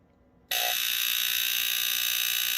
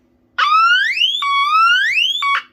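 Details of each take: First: Vanguard Smoke Sonic smoke alarm, powered on: a harsh steady buzz for about seven seconds instead of the expected squeal. Owner suspects it is dying; the outlet may also be bad. Abnormal alarm tone. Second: Smoke alarm sounding after battery swap (earlier battery gave an altered pitch): loud piercing upward-sweeping tone repeating in about one-second cycles; alarm sounds properly.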